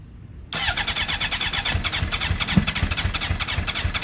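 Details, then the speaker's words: GSXR with a 600-to-750 engine swap, third start attempt, owner hearing an unfamiliar funky noise low down: steady starter chug near four beats a second with sputtering tries that never catch. "Oh, it's getting so close, guys. So close. All right, so it's the third fail."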